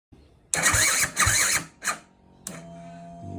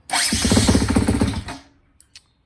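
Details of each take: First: 2010 Husqvarna TE250, sluggish electric start, battery charged and ruled out: labored grinding bursts of cranking that stall and restart before engine barely catches; worn starter reduction gears slipping. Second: 2010 Husqvarna TE250 after replacing the starter worm and wing gears to fix sluggish electric starting: starter spins the engine briskly and evenly with a quick regular chug, no dragging; problem fixed.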